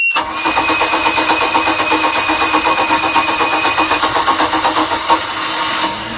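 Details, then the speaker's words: Bayliner 2252 Express Hardtop V6 boat engine started with no throttle, idling: quick crank, catches at once, steady even idle with regular beat and no misfires; normal start and idle. "den startede men den blev startet uden at give den gas så det er altså bare i tomgang den er [Bifald] startet som i kan høre så er der ikke nogen misl for motoren går rigtig fornuftigt"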